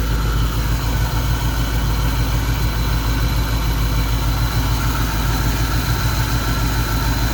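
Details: 1991 Mustang GT V8 after injector rebuild and reassembly: lumpy, uneven idle stumbling about three times a second; one cylinder still not making power, vacuum gauge flutters, low compression suspected.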